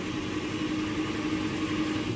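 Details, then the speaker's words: 1949 Studebaker Champion inline-six cranking with a steady, even churn and no lopsided beats, after reseating a clip under the number five exhaust valve spring; still running on old fuel. "You can definitely tell it's cranking evenly now. So, that is a big improvement."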